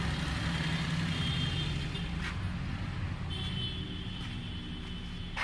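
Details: 2008 Maruti Suzuki Alto petrol engine after fixing a shorted spark plug cable behind intermittent starting trouble. It idles with a quiet, steady hum under street noise, no stumbling or popping, and the check engine light that had stayed on is now out.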